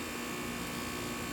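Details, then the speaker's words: Trane heat pump replacement (14 SEER), lines solvent-flushed, new dryer: air handler blower gives a constant airy hum with a faint steady buzz, no rattles or squeals; running smoothly, house cooling. "looks good, sounds good. The house is nice and cool."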